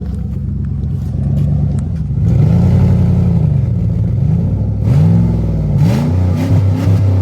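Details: 1999 Lincoln Continental with stock exhaust and exhaust leaks somewhat repaired: a deep engine note that rises and falls with throttle blips, with no ticking or puffing between revs. Normal exhaust note.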